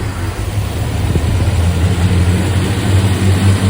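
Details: Supercharged 1961 Studebaker Hawk running with supercharger belts removed for engine break-in: steady, low, even idle with no knocks, ticks or misfires, good oil pressure; timing seemed happiest around 55°, mark possibly wrong.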